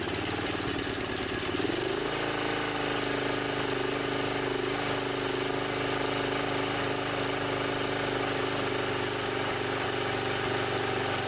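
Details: Snapper SR 1028 riding mower with a 10 hp flathead Briggs & Stratton, 30 to 40 years old. It runs steadily with a slightly uneven, sputtering beat and likely needs more carburetor work.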